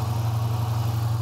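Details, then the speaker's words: Dodge Challenger 5.7 Hemi, 40,000 miles, at idle: steady low drone with dull even growl underneath, no knocks; cause water pump bearing, its pulley unbelievably loose; pump replacement follows. "that pulley is unbelievably loose that was the growling again"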